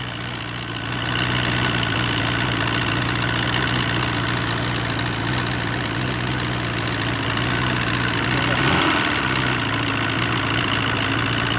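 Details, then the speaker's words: Force 120 (Mercury) 1999 two-stroke outboard off a Bayliner, silencers removed: runs fast and steady at about four beats a second with a raspy exhaust; idle set a bit high, adjustable down. "проверим скорости оборота классный в нём великоваты я еще эти глушители снял обороты классные великого ты сейчас можешь под регулируя"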